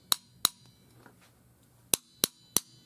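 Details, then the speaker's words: Water heater expansion tank knocked on the air side and then the water side to compare. Sharp, solid knocks with no rattle: normal knock sound, meaning the tank works properly. "If your expansion tank sounds like this, it means it works."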